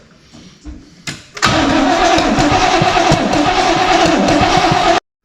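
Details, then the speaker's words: 1971 Corvette, first start attempt after 38 years, after fixing a points issue: starter cranks steadily at about three beats a second, puffing but not firing. Coolant leaking from the top of the water pump. "we think she's about to fire she's she's puffing"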